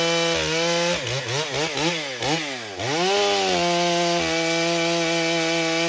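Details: Stihl MS661c with forged Wiseco piston, first tank of 40:1 mix, 32-inch bar, cutting soggy poplar: high revs dip and recover in the cut, then a clean steady pitch; cuts well, slight bogging in wet wood.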